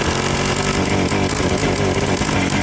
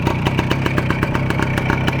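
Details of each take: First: Long-stored Soviet Voskhod two-stroke motorcycle, warmed up, running badly and not answering the throttle. Uneven sputtering putter that stumbles and dies; owner suspects a big air leak, with oil seeping at the cylinder head and the carburetor fitted without gaskets. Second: Voskhod two-stroke motorcycle, warm engine, carburetor choke flap lowered after repairs. Crisp even popping at about eight beats a second with no misses: healthy, clean idle.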